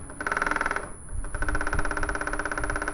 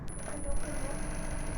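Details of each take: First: Industrial sewing machine running with stitch length set to 5 (longest): rapid harsh metallic clacking each stitch cycle as the feed dog travels back and strikes the needle plate. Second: Industrial sewing machine running after repair: steady low motor hum, no repeating knock; earlier clacking came from the feed dog striking the throat plate, fixed by adjusting the feed dog via its nut.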